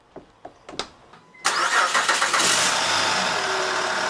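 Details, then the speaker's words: Car that would only click or barely crank with its own battery, jump-started from another source: a few light clicks, then the engine catches almost instantly and settles into steady idle, suggesting the starter is likely okay; battery or alternator still suspect. "started right up when being jumped so that's another way I know that most likely my starter is okay when connected to another battery source it started right up fine"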